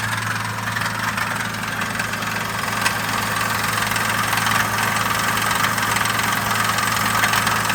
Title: Engine knock?